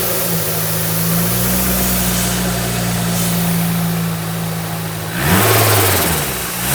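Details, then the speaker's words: Freshly built 500 bhp supercharged Honda Civic FN2 on an RB30 block, after tightening a loose battery earth, not yet up to temperature: a deep even drone falling and climbing cleanly with each blip; normal revving. "It does sound like it's never sounded as crisp or as neat as that."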